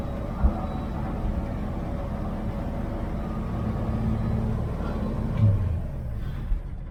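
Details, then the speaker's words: 1969 Chevy van, off the road 35 years, cold start after sitting a week. It holds a low, even rumble slightly above normal idle while body metal vibrates; owner suspects the door latches rattle. Normal cold-start fast idle. "Stays on high idle for a while. So everything's vibrating."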